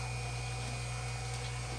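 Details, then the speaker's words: Hoshizaki nugget ice machine making ice again after gear motor's five-minute start: constant low even hum, no rushing water, water valve no longer running nonstop though still distrusted and quoted for replacement; normal running. "can probably hear our water valve is no longer going nonstop"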